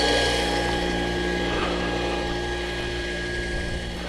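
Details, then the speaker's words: Small water company's backup pump motor, run on manual hand start because automatic fails while main pump burned out; steady motor hum with even whirr and faint pulsing; normal running. "Turn it on the hand, start, and there goes the old pump."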